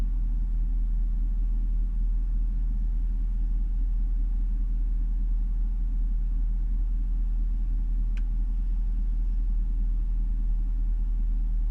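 Warm engine idles with a deep, uneven rumble and a loose, unsteady beat rather than a smooth hum; rough idle, cause not evident.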